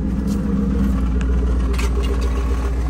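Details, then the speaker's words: Mercedes-Benz SL55 AMG, check engine light on, at idle; steady low rumble with uneven ticking about three to four per second under the hood, source unclear and untraced. "There's some type of noise. Where is it? Something going on under the hood."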